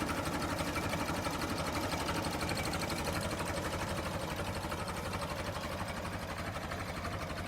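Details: Late-1955 Farmall Super MTA diesel tractor, recorded up close at idle: steady, even, rapid chug at constant level with no knocks or misses; normal healthy idle.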